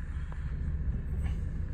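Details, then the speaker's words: 2010 Mercedes E350 CDI, 3.0 V6 turbodiesel, 7-speed automatic, 101k miles, just after startup: a deep, even, gruff rumble with no clatter, a nice even idle. Normal diesel idle. "nice even idle. I don't know how well that sound transmits onto the video, but it's a sweet sounding engine. You can still tell it's a diesel, but it doesn't have any clatter to it. It's a more gruff sounding V6."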